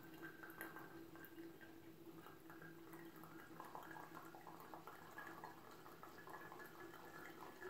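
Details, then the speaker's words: Presto MyJo 12 V single-cup coffee maker, pressed down slowly by hand: quiet gurgling and dripping as hot water pushes through the grounds; normal brewing. "It'll sound just like the Keurig when it's done and sounds like it's blowing air through."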